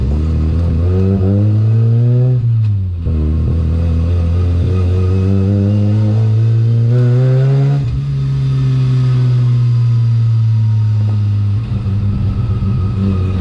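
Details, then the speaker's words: Mazda 13B rotary-swapped BMW E36 ute on a test drive after oil cooler install: revs rise and fall under load with a choppy, uneven note at the bottom end; misfire at low rpm, won't idle properly, cause not yet found. "As you can hear, it's got like a misfire down low, so I've got to sort that out, and it won't really idle properly at the moment, so that's a little bit weird"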